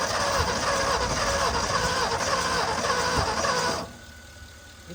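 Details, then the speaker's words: 1961 Mercury Meteor with 37,000 miles, first start after 43 years parked on used spark plugs: rough uneven idle with irregular sneezing pops about three or four a second, spitting back through the carburetor from a valve not closing. "does have a valve not closing. I can hear it spitting back through the carburetor."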